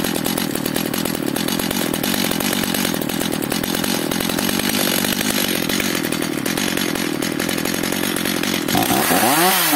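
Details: Stihl MS 230/250 chainsaw after the idle speed was raised. It holds a buzzy, uneven high idle that never smooths out and runs only so-so. The air filter is completely clogged; cylinder and compression checks are to follow.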